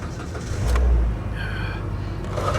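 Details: Salvage-auction 2010 Mitsubishi Lancer, first start after purchase: brief crank, engine catches at once with low surge and settles into steady even run; clean start, though ABS, service engine and TPMS lights come on.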